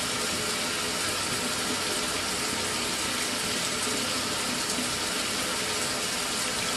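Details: Mira (Zora) shower after replacing the faulty solenoid valve that made flow stop and start intermittently a few minutes after switch-on: even, unbroken hiss of running water throughout, no surges or dropouts; steady, healthy flow after repair.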